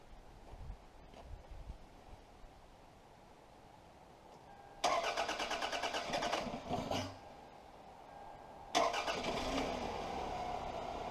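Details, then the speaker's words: 1999 Toyota Solara that had sat for years, running on old gas after a replacement ignition switch was fitted. It cranks, catches quickly and settles into a steady, even idle with no misses and no smoke. Normal idle. "there you have it runs on the top equal with guys that old stinky gas fired right up super happy with that ain't smoking or nothing"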